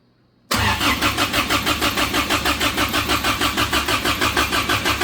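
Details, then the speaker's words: Samurai rock crawler converted to propane, no primer button on mixer: starter cranks evenly about three beats a second but never catches; a plug left out of the intake while installing propane fittings meant no vacuum. "there's a plug that goes right here that I did not put in when I was putting all the fittings in so again no vacuum and yeah sometimes you just need to slow down"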